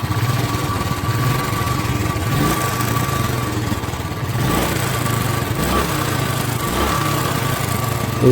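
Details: Royal Enfield Bullet Electra 350 UCE, 2017, which had very loud tappet noise: after the fix it gives an even single-cylinder thump at idle with only faint top-end ticking; tappet noise much reduced.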